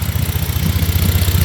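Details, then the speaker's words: BMW E46 idling rough with an uneven, lumpy pulse and irregular dips, likely missing on a cylinder; owner plans to replace injectors and idle air control valve. "She's running a little rough right now. Not going to lie."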